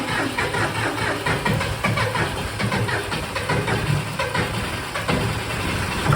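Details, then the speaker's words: John Deere 5045D tractor, about 10 years old, low hours, 54 hp 2.9 L diesel with undersized battery, jump-started with Avapow pack after glow plugs heat: cold diesel cranks, catches, settles into steady even clatter; healthy start. "I did not expect that to work whatsoever this thing definitely has some power that was very successful it was able to jump this tractor"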